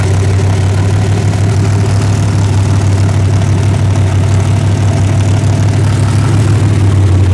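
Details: Freshly rebuilt 406 V8, carburetor just fitted with open plenum, at idle: deep, steady, even lope with no knocks or ticks, healthy and crisp; may need a bigger carburetor.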